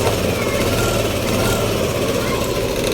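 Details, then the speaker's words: Yamaha Aerox scooter idling after an oil change to Supremium Moto X3M engine oil: a smooth, steady idle with an even low hum and no knocking or rattling. The owner says it is quieter with less vibration than before. "Naging tahimik yung makina. Although talagang tahimik naman talaga yung makina ng Aerox, pero ngayong nagsalin tayo ng ito nga yung Supreme engine oil, medyo mas gumanda, mas tumino yung kanyang ano."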